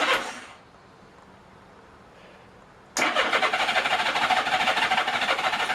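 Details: 1983 Honda GL1100 Goldwing Aspencade after rebuilt carbs were reinstalled and the starter replaced: strong, even cranking at about three turns a second that never fires. No spark on the left side, right side fine.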